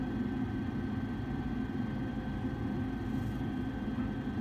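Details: Furnace inducer blower running during pressure switch vacuum testing: even low hum with steady airy whoosh, no rattle, squeal or surging; operating normally.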